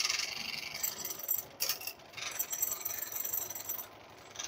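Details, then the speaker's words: Honda Vario scooter just serviced elsewhere, complaint of rough noise from the CVT, traced to the starter gear; harsh raspy metallic rattle from the CVT side at idle; CVT grinding noise. "setelah motor ini dihidupkan suaranya seperti ini kira-kira teman-teman bisa dengar suara kasarnya contoh seperti ini ini contoh dari pada suara kasar yangang"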